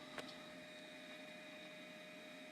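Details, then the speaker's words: Dell Dimension 2100 desktop powered on after recycling find: steady hiss with several fixed whining tones, no rhythm; some fan inside sounds terrible, cause not confirmed. "some kind of fan in there that's just sounds terrible"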